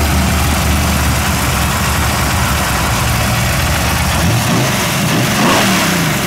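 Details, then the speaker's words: Cody's S10 V8 with freshly blasted 750 carburetor (6.5 power valve), on street dyno: lumpy idle then stumbling rev climb that sags before picking up; hesitation, about 6 inHg idle vacuum, fix planned: 3.5 power valve. "a little bit of a hesitation I think I need to just accelerate footballer"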